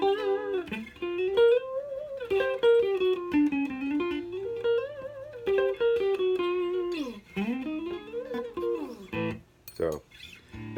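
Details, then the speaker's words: Stratocaster played after fret levelling and dressing, truss rod adjusted and nut height checked: clean, ringing notes and bends sustain clearly with no buzzing against the frets; the earlier fret buzz is gone. "all that noise is gone they had before run my fret rocker ain't getting their noise at all all my friends are even so I'm not getting any"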